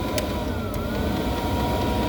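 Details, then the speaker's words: 8 kW Gearzaar Chinese diesel heater switching from mains to battery via a switchover module; steady even fan and burner hum with no dip, stutter or shutdown at changeover, keeps running normally. "Some of them I've seen, as soon as it change over, it goes on shutdown mode. But this one don't for some reason. It seemed to keep the heater going, which I can show you."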